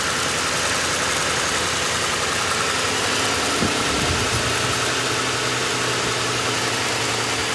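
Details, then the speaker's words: 2005 Ford Crown Victoria Police Interceptor V8, out of service over a year, suspected bad fuel pump, running on fuel poured into intake with dead battery: steady, smooth idle, even beat, no knocks or misses; alternator charging; normal idle. "Been sitting around for about a year. Engine sounds good. Battery's completely dead. The alternator is charging."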